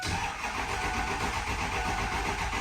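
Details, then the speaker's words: 2006 Ford 6.0 Powerstroke diesel, crank no start after two other shops threw parts at it, possibly IPR and ICP: starter spins it steadily but it never fires; low injection control pressure from a leaking standpipe. "I guess I'll spin it over real quick and let y'all see that it is a crank no start and uh we'll go from there"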